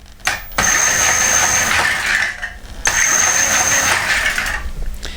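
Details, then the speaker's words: Homemade ebike driven by a car alternator motor with 800 W controller, two throttle bursts: high steady droning whine with gritty creaking edge; sounds rough but goes well, cause unclear. "don't worry too much about all like creaking and droning noise yeah I know it sounds a bit rough but it actually goes alright surprisingly"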